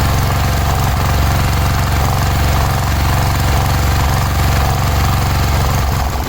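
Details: Cub Cadet 1106 riding lawn tractor (1987; listed as 1986), sat over 4 years, bottom carburetor adjustment screw ineffective: low, thumping single-cylinder run with an uneven, lumpy beat and no clean rhythm. Rough running; owner suspects old fuel pulled through fuel line.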